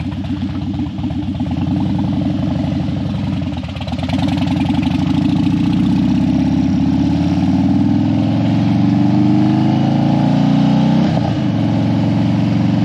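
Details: Harley Dyna that died when hot and wouldn't crank hot, warmed up on a test ride after a suspected battery fix: steady, loping low V-twin rumble with an even beat, no stumbling or dying. Running properly.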